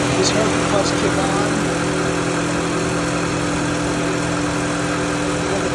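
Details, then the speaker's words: Car AC compressor once called faulty, actually low on Freon; after charging, relay reinstalled and engine idling with AC on: steady hum from the engaged compressor, no knocking, grinding or squeal; compressor works and blows cold. "on there's nothing wrong with that compressor nothing it works and it's cold"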